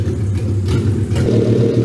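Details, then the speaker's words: 1985 Porsche 944 with a swapped VW/Audi 07K 2.5L inline-5, after fuel-map adjustments to stop the hunting (owner suspects board pots caused the sync loss): a deep, steady rumble at an even idle with no surging. "All right. You see it's sounding way better right now. I made some adjustments to the fuel map. stop it hunting."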